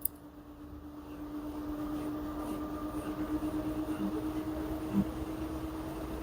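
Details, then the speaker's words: LG washer model F4V5RGP2T, under one year old, spinning with a load of dry clothes: an even motor hum with a soft drum swish as speed slowly builds, still normal at this point; an abnormal noise appears later in the cycle. "Now still no any abnormal noise from the machine, still having normal noise."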